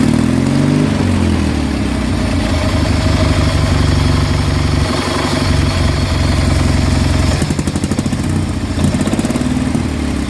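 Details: Kohler M18 twin-cylinder replacement engine for a Craftsman GT 6000, started cold. It putters steady and even with a light throttle blip and runs healthy; a bearing noise is audible.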